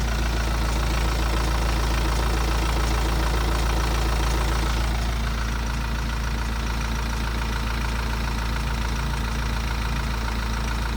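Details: BMW 118d N47 diesel at idle: steady metallic ticking, about four a second, from a worn timing chain, recorded before chain replacement.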